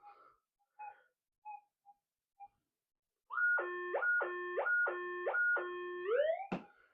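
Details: Modified Minelab GPX-6000 metal detector with figure-8 coil, sensitivity cranked up, gives four loud warbling tone bursts as a hollow ferrite core passes over the coil; false signal from ferrite that cannot be ground balanced out.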